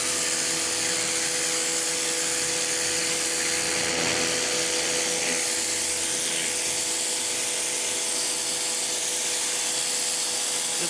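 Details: Campbell-Hausfeld PW1835 1800 PSI electric pressure washer, universal motor, new: steady high motor whine with even pump hum, no surging or grinding; running normally, owner feels pressure more like 1300 PSI.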